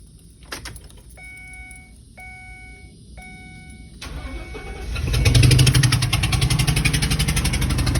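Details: 2014 Ford E-250 4.6 V8: door chime, then engine starts and settles into idle with a steady knock about four times a second; engine knocking noise.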